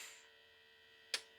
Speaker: so you hear the pump working and you get your zero zero point zero zero okay now you also hear the solenoid clicking over from sampling to then averaging okay so that is very normal what you are hearing and experiencing